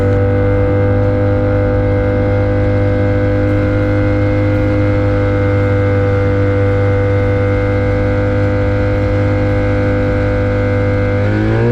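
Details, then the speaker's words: Avid Flyer with Rotax 670, taxi test four, run with the air filter removed: strong, steady full-throttle drone with no stumbles, climbing cleanly at the end. Earlier problem is gone, supporting the owner's dirty air filter hypothesis; a healthy run. "oh look at that a happily running little airplane um you could hear a juice up and wanting to go um that was great that's what we wanted to hear"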